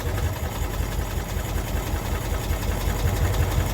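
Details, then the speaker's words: 1992-ish Cushman Truckster from a field, first run after revival: small engine idles with a low, slightly loose chug and no misfires; normal idle, though apparently nothing shuts it off so it runs until out of fuel. "Well, heck, this thing's ready to drive. This thing's a runner."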